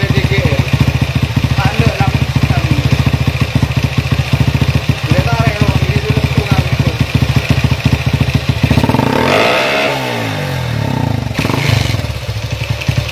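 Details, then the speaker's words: Honda CB single-cylinder motorcycle with a PWK 30mm carburetor, after setup to cure stumbling at full throttle: even idle thump, then a clean throttle blip that rises and settles with no stumble; idle and throttle now good. "untuk lamsamnya sudah bagus ya dan juga gas-gasannya udah enak"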